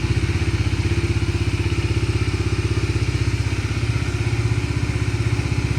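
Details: Bajaj Dominar 250 single-cylinder, started after the flat battery was charged and refitted: steady, even thump at about four beats a second with no misses or knocks, a clean, healthy idle.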